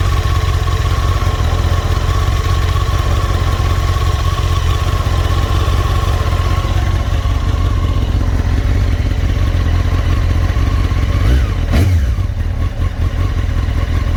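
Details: Honda CBR954 (SC50) four-cylinder with AluSil cylinders idling: a steady, busy clatter over the low exhaust rumble. Piston slap with cylinder scoring and engine knocking is suspected.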